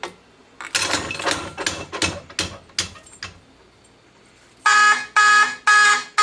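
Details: Fire alarm system test after pulling a pull station: clicks and handling noises, then loud repeating horn blasts about twice a second with steady tone; alarm sounding normally.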